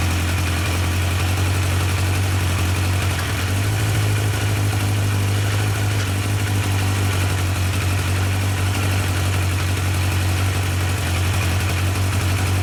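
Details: Yamaha 1200 FJ four-cylinder during carburettor synchronisation, with the carbs now balanced to equal vacuum readings: steady, even idle with a deep low hum and no misses or hunting. Cylinders sound balanced and healthy.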